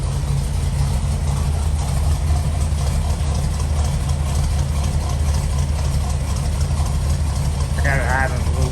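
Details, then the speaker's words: 1981 Chevy C10 305 small-block V8 after cam, lifters and valve seals replaced (old cam badly worn): slow, loping, slightly choppy low idle rumble, steady and otherwise smooth; normal cam lope. "there's the truck running after I put the cam shaft in it notice a little bit of Lo there at"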